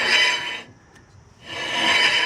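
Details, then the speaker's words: 2006 Honda CR-V, rear rotor turned by hand in park; rough, dry scraping rasp each turn, fading between turns; the rotor looks badly worn and brakes felt soft; a worn rear rotor is suspected, new rear rotors planned. "and it kind of sounds like garbage."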